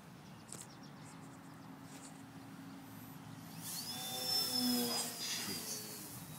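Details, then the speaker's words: Velox RC airplane with two batteries flying near battery end: a high motor whine sweeps past overhead with its pitch sagging, the motor losing power, forcing a landing. "yeah you can hear it it's like just losing um"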